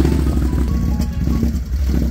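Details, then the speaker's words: Can-Am Outlander 570 ATV at idle only: soft pops in the air box, RPM fluctuating, and the engine stalls on its own; it runs fine in high and low gear and restarts immediately; cause unknown. "I don't know if y'all hear that popping sound inside the air box but RPM's fluctuating not too sure what it is and it just turned off on its own"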